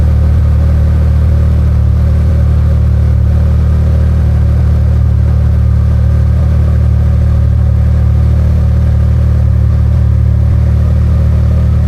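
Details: Can-Am Maverick R with Evolution Powersports flex-fuel system running on tested 85% E85 after a cold start (meter read up to 82%): deep, steady rumble, no misses, knocks or hunting; normal clean running on ethanol.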